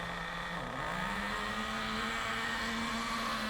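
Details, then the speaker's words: Nitro RC car engine warming up to operating temperature while set very rich. It buzzes at a steady high pitch but is slow, uneven and sluggish because it cannot burn off all the fuel, and it gets quicker as it warms. "it's going to be really slow it's going to be really [Music] sluggish the reason for that is because there's a lot of fuel a lot of nitro going into it and it can't burn it all off quickly or efficiently"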